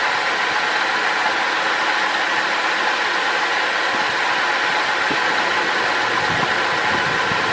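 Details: 2005 Holden VZ Crewman, 3.6L Alloytec V6: rough idle around 950–970 rpm with uneven stumbles in exhaust beat; one cylinder misfiring, traced by pulling coils to a faulty coil pack, before replacement.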